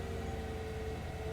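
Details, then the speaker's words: 2003 Mercedes SL500 at an IAA auction, 45,969 miles: quiet, even engine hum with a faint steady tone, no ticks or stumbles; sounds perfect, smooth healthy idle. "alright anyway we do have power 45 969 miles on here and let's just see what she sounds like she sounds perfect perfect why are you here"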